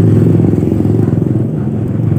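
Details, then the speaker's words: Yamaha Aerox engine, crankshaft turned slowly by hand with the camshaft in neutral and rocker arms idle, gives slow hollow clunks on each turn under roadside traffic noise; worn con rod and crankshaft bearing knock. "Kita putar seperti ini. Bisa teman-teman dengarkan di sana ada suara klok klok klok klok klok klok klok klok klok klok klok ya. Itu saat putaran rendah, diputar menggunakan tangan."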